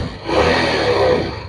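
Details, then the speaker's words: Yamaha Jupiter Z single-cylinder bike that smokes and burns oil fast (oil gone two weeks after checking), kick-started since the electric starter is dead; rough, rattly, noisy clatter when the throttle is opened, from a worn piston slapping in the bore. "nah seperti itu suaranya suaranya itu pokoknya berderik sekali Berisik suara seperti itu ketika ditarik gas seperti ini"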